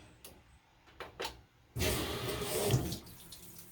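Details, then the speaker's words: GE washer model GTW330ASK4WW on drain and spin, load size dialed down, cool setting: quiet clicks then a sudden rush of water pouring into the tub; unexpectedly fills with water during drain and spin. "adds water adds water to drain and spin"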